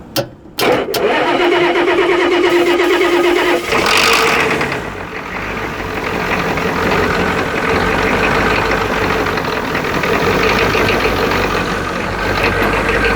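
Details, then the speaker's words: Turbo Ford 6.9 IDI diesel that was seized about a week and a half earlier, now fuelled and bled. Cranks briefly, catches and settles into a steady, even clatter with no knocks or misfires: a healthy start and idle. "well sounds pretty healthy especially for being stuck like a week and a half ago well she purs like a kitten"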